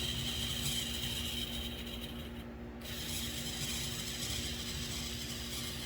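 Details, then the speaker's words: MDC Roundhouse Shay kit locomotive, DZ123 DCC decoder, powerful motor, slow speed step 6 pulling a heavy car: quiet continuous gritty whirr with uneven ratcheting; gearbox whine and grind the owner says can't be eliminated. "Now I've done everything I can about the sound. But that gearbox in there is always going to make that sound."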